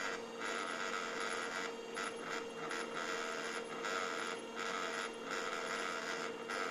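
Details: HP LaserJet 1200 printer hums constantly with green light on but never reaches ready: a steady mid-pitched hum with uneven mechanical chatter on top. Faulty laser scanner unit, and replacing it fixed the problem.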